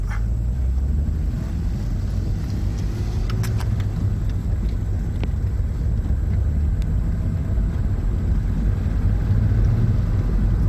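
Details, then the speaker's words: VW Golf VR6 test drive after fixing the drivetrain failure (clunking and lost drive after a 4th-to-5th shift): a steady road rumble at constant speed with no driveline knocks or clunks. There are no extra noises, and it is considered fixed. "but well, it works, no extra noises, source seems to work pretty well. So we'll call that a fix."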